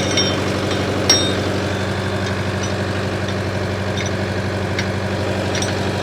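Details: 1968 John Deere 500A diesel tractor (industrial 3020), revived after 10+ years parked, put under improvised load: steady, even diesel throb with a smooth, low drone, no knocks or misses. Normal, healthy running under load.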